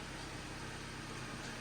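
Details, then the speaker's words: 2011 Jeep Patriot, T355 five-speed manual, idling with the clutch out: a rough, gritty rattle churns steadily and goes away with the clutch pressed; owner hopes it is the input and countershaft bearings, unconfirmed. "I'm really hoping it's these bearings scary sounds"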